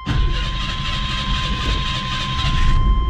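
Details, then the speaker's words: Carbureted V8 in a 1976 GMC truck, cold start after one pump of the throttle while cranking (failed without a pump the day before): catches quickly, slightly uneven but steady low rumble; normal cold start and idle. "gave her one pump started a little rough yesterday I started it once uh crank crank crank it didn't start I gave it one pump then tried to start it and it did good this time"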